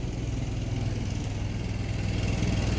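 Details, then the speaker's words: Newly installed Onan 5500 (5.5K) LP propane generator in a 2000 Newmar Kountry Aire 5th wheel, running about an hour after install: steady, even low hum with no misses, knocks or surging; normal running. "I've been running it for about an hour now everything seems to be doing fine now"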